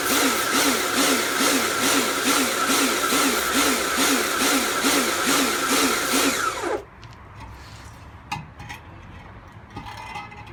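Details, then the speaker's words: Kärcher pressure washer rebuilt from a B202 and a K2 14 (frost damage, motor failure), first test outdoors with water on: regular surging throb about twice a second over motor hum until shutoff; pressure cycling under load, cause undetermined though cleaning works. "so as cleaning goes it seems to work fine i'm not entirely sure what uh that pulsing noise is from"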